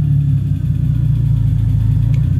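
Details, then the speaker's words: 1985 BMW E30 turbo, M50 non-Vanos, Megasquirt with no idle control valve, idling; it runs leaner as the idle drops to raise speed. The low rumble swells and sags instead of holding steady: a hunting, wandering idle. "it's not perfect so you do kind of get this bounce and this uh Wander but it runs okay"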